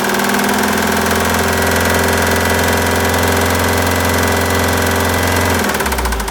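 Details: Citroën Jumper II (250), 2013, 2.2 L 4HH diesel, 131 PS, 294,000 km, also with a defective cooling system. Rough idle with a heavy, deep knock in step with the engine until shutdown: engine bearing damage.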